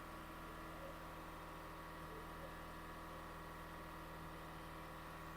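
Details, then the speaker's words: 2017 Ford Edge diesel after alternator replacement and fuel system priming, pedal slowly released; steady, even hum just above idle, no grinding, whining, ticks or belt squeal as before; normal running at raised idle. "Slowly slowly right now vehicle has a good idle. Yeah, that job success. And you can hear No any grinding noise, winding noise like before"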